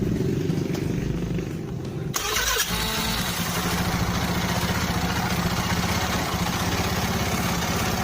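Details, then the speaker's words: Honda Beat scooter after starter repair, hoses refitted to air filter box: brief electric crank then even idle, no grinding from the starter gear; fixed. "ada suara dia di bagian engkol ya Nah Oke jadi enggak Ada gesekan di bagian gear starter ya teman-teman ya berarti sudah beres"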